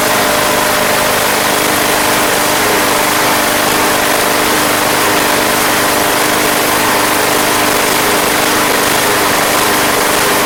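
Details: Craftsman Platinum lawn mower, Briggs 190cc single-cylinder, running after a no-start fix with a replacement carburetor: steady, even putter at constant speed, no surging or misses; gas was seen from the crankcase vent, yet it runs smoothly.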